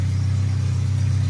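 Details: Old car running off its own fuel system, timing not yet set, some vacuum-leaking hoses found: a low, even, steady purr at idle with no misses, stumbles or ticking. Normal idle.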